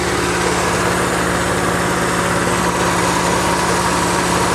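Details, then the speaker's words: 1992 Geo Metro XFi with retrofitted AC: loud, steady hiss over an even idle as the idle-up valve opens with the compressor, air drawn through the air cleaner into the intake; sounds like a vacuum leak but isn't. "i can even hear the hissing when that valve first turned on"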